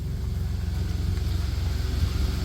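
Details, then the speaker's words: 1993 Dodge Caravan, blown head gasket repaired, warming up with hood open: low steady even thrum, smooth regular pulses, no knocks or stumbles; healthy idle. "There she is purring like a kitten."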